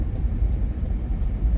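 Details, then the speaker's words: 2003-2008 Lexus GX470 idling smoothly after upstream oxygen sensor replacement fixing codes P0031 and P1201; low even rumble with no misses or knocks, runs smoother and the earlier foul gas smell at startup is gone. "it run a lot smoother now that the O2 sensor has been replaced."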